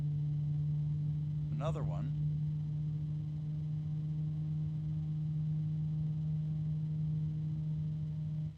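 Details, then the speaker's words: Antec TwoCool 140 Blue fan on its high setting near minimum speed: steady low hum with ringing overtones over the airflow rush, plus a brief sweeping chirp; bearing noise and frequent harmonic resonances depending on RPM. "so if harmonic resonances are going to bother you this is not the fan to choose cuz it's got frequent harmonic resonances depending on what RPMs you get to"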